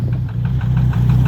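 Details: Volvo engine idling while being warmed up: steady knocking about six per second above a low idle rumble. The owner is unsure whether the gauge shows real low oil pressure; oil pump and water pump to be changed. Cause unconfirmed.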